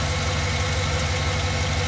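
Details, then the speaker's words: 2007 GMC Yukon Denali V8 with low oil pressure, idling at about 30 psi: a steady, even low rumble with no knocks, ticks or rattles; normal idle. "so it looks like it's well below 40. so it's somewhere near like i would say around 30 psi right now now it sounds decent the motor's not making a lot of noise"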